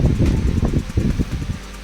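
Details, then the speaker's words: Electric fan after disassembly, cleaning and lubricating a seized shaft bearing with Teflon oil, running on second speed: soft, even air rush with gentle buffeting, no scraping or squeal; healthy after repair. "Le podéis ver la segunda velocidad, suena perfecto con la segunda velocidad."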